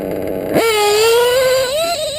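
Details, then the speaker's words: Modded Reds R5R .21 RC nitro engine, new, tuned very rich for protection: sharp rev holds high then slowly sags, hesitating instead of snapping to idle, with a little smoke after 20-second idle test. "blows out a little bit of smoke now it didn't come down right away see how i would hesitate a little bit but that's only because i'm running it really rich"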